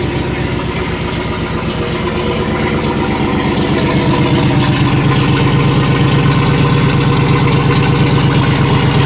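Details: Supercharged (Whipple) 7.0L HEMI stroker V8 with new double-radiator cooling setup, fans set to switch on at 95 and 92 °C: even regular idle pulsing with low rumble, level rises midway, likely a fan switching on; normal idle.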